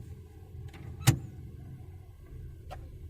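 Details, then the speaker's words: 2010 Toyota Camry 2.5L automatic with P0741/P2714 codes (torque converter lockup stuck off), during line pressure testing: steady idle with one soft, prompt thunk into drive. The earlier two-second engagement delay is gone; normal drive engagement. "drive is i would say normal that's a big difference"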